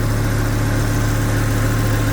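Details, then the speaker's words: Kubota M125X tractor diesel, start after new pushrods and valve adjustment, following fuel-filled crankcase and blow-by: steady, even idle with smooth low rumble, no knocks or misses, initial blue smoke probably from fuel in cylinder one expected to clear; healthy idle. "I'm sure that'll go away once it warms up. Sounds really nice now."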